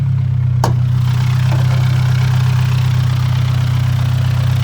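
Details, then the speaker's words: Nissan R34 Skyline with new wheels: a loud idle drone with a fast, fairly even metallic rattle about three per second. It doesn't rise with revs, so the owner thinks it's not the engine; exhaust or an idler/pulley suspected, unconfirmed. "the sound doesn't increase when I rev it so that means it's it's not the motor thankfully is it just exhaust rattling"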